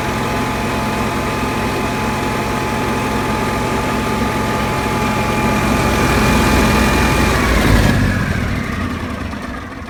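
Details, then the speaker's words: Generac Q-55G RV generator that kept running then dying, after suspected fuel pump culprit addressed, 124 V on both legs: starts easily, steady constant hum with no surging or dying, winds down cleanly; running healthy. "It seems to start up real good. So we'll just start her up here and see what it sounds like."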